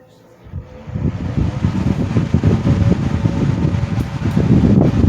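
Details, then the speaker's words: 1970s 16-inch Toastmaster box fan after replacing its bent original blade with a 1940s desk-fan blade set, first test run: spins up to a smooth, even whoosh with no thumping or wobble, not much vibration, good airflow; normal fan running. "not much of any vibration to it. And it's putting out some airflow there. Big improvement."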